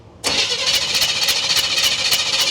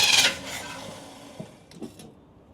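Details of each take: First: 1976 Chevy long-bed half-ton pickup, parked for years with a bad water pump and run without coolant: brief crank, then it catches and settles into an even, fast idle with no misses or stumbles, a clean start. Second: 1976 Chevy half-ton parked for years, fed fuel from a can through the fuel pump: starter cranks about seven seconds with uneven churning but never catches; the old mechanical fuel pump isn't pulling fuel.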